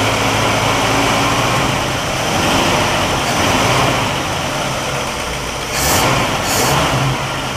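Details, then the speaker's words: Healthy revving of a 1960 Pontiac Catalina 389 V8 on a Heathkit IO-20 ignition oscilloscope. It pulls up cleanly and settles back with even firing and no misses or knocks. The oscilloscope shows good ignition. "runs good everything looks good on the oscilloscope the 1960 oscilloscope on the 1960 car"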